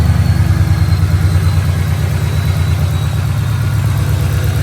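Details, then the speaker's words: 1993 Fox Body with newly built Coyote 5.0 (AMS forged bottom end, stock 2011 heads and cams), first start: fired on first hit, deep even V8 burble at idle, no knocks or ticks, tons of oil pressure; running smooth. "Fired with the first hit. Built motor. Tons of oil pressure. Although maybe reading a little skewed. She's running smooth."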